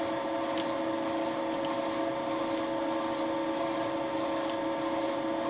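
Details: Deeper repeat boring pass, Wohlhaupter UPA5 head on Thiel Duplex 158 mill, clearing melted plastic from a lawn mower bearing seat bottom for a larger bearing; steady constant mid-pitch hum, no chatter or knocking: normal boring cut.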